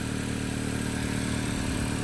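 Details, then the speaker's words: Crash-damaged, rebuilt 2025 Honda Accord: steady idle with constant airy hiss; exhaust probably leaking at the turbo where the seal ring sits sideways, otherwise driving smoothly with normal power; new turbo possibly needed. "Yeah, other than having that leak, it is honestly driving really well right now."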